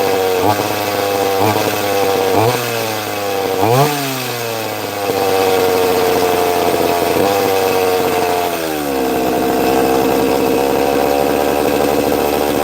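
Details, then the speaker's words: Chainsaw: several sharp revs with falling pitch, then an uneven hunting idle that won't settle, sounding like an air leak; actually caused by the trigger being held in to make it idle. "I know why it sounds like it's got an air leak cuz I wear the bloody I wear the trigger in to make it idle. So, I'm going to wind it back out a bit."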